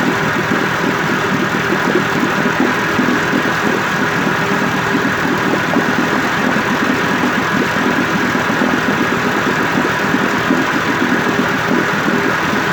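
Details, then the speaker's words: 1958 Evinrude 18HP Fastwin two-stroke outboard with replacement powerhead, new head gasket, rings, crankpin needle bearings and NGK B6S plugs, on heavy 30-weight oil mix, smoking slightly, cover on. Fast, even burble holding steady idle, no misses or knocks: normal idle. "Now here's the motor running with the cover on for the first time in probably 25 years."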